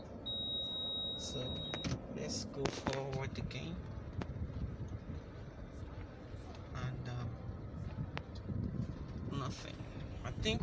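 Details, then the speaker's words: Toyota Camry after moon roof mounting bolts were loosened and retightened, rolling over a bump: road rumble and tyre noise, no overhead knock or clunk; sunroof now quiet. "I'm about to Clum a bump here it should sound and as you can see we had no noise"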